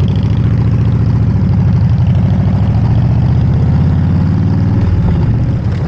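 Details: Harley-Davidson V-twin with electronic ignition and a Typhoon carburetor, after timing set and carb mixture adjusted: steady, even lope with clean, regular firing beat, no knocks or misses, responsive; normal running.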